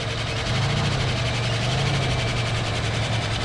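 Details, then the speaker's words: 1974 AMC Hornet abandoned 31 years, idling on fresh fuel: a steady idle carries a quick, even ticking chatter, roughly a dozen light taps a second. Noisy valvetrain that has not quieted down yet. "I sure am hoping this M motor quits chattering so much."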